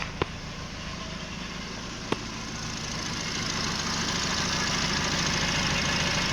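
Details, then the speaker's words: Nissan Livina petrol engine idling rough and shaking: uneven, lumpy beat that briefly smooths then roughens again, traced to front O2 sensor wiring reversed, upsetting the mixture; sensor itself recently replaced. "jadi sekali sesekali dia mau rata ya datar nanti setelah itu dia seperti itu lagi unuk mesinnya"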